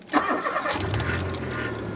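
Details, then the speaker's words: Rover 414 with new radiator and belts: quick starter whirr, instant catch, then a quiet, smooth, steady low idle; healthy. "and listen to that or more like don't listen to it cuz it's not a great deal of sound going on there is there"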